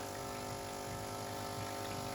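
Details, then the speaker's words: Nivona/Melitta/Miele coffee machine during rinsing, after the crema valve was replaced: a steady, thin squeak over the pump hum, weaker than before; the seal on the crema valve insert was bleeding pressure, causing the squeal. "Вона просто тиск трохи стравлювала і оцей свист"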